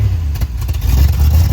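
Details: 1972 Dodge W200 Power Wagon, first run in years, little smoke: raised busy idle that never settles down; fast-idle cam hung on its top step with a rusty screw, keeping revs up until freed.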